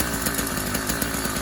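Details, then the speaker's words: Brand-new YD100 two-stroke kit engine on a Kent Bayside Cruiser bicycle, first minute of running on a cold day, full choke at start then half choke; fast raspy steady buzz, even pulse, no misses; normal running. "fired right up made the full choking at the beginning because it is a cold day here"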